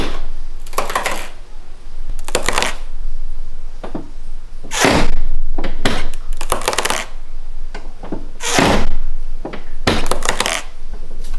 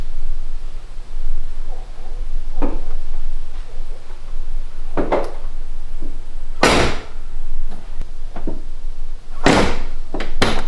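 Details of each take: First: BMW E46 Convertible door seals dried out with age: short bursts of rubbery squeaks and creaks as the door works against its seal; fixed by cleaning the seals and treating them with a Honda seal conditioner. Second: BMW E46 convertible door after cleaning and greasing the dried seals with Honda seal grease: door opened and shut several times with solid thumps and only a faint, brief residual squeak.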